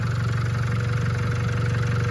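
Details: Land Rover Discovery Sport Ingenium diesel after camshaft carrier removal and top timing chain fitting, despite some leakdown past to exhaust, partly reassembled: steady even low pulsing clatter, no misfire or chain rattle, running on all four cylinders; normal idle.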